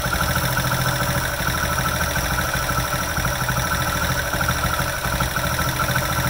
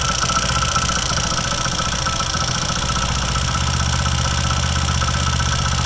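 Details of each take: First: Hero HF Dawn single-cylinder idling after the magneto cover was refitted and tightened: steady idle with a light, even tappet tick keeping time with the engine, no loose rattle; normal. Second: Old-model bike idling with an uneven light rattle about three times a second from the magneto side; a loose magnet in the flywheel.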